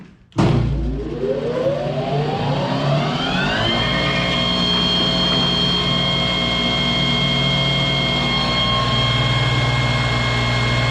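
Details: Monarch lathe just after an oil change, refilled with AW32 after running low: motor winds up smoothly with whine rising about three seconds, then settles into an even steady run with no knocks; lathe running normally, oil aerated.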